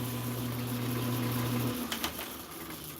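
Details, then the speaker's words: Atlas Craftsman 10" lathe in low range at slowest countershaft speed with a reamer fitted, gear train disengaged and feed screw not turning as a baseline: even, smooth low hum, no knocks, chatter or grinding; healthy. "so this this is the slowest speed and this is no gear train just to give you a baseline so the feed screw is not turning"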